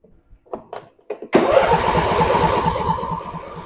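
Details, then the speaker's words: Briggs & Stratton V-twin mower engine after carburetor replacement, resealed intake manifold, new fuel pump and hose, cold wet weather: a few weak turns, then catches with a rough, uneven beat about three per second, struggling to settle after long cranking. "It's gonna take it a minute."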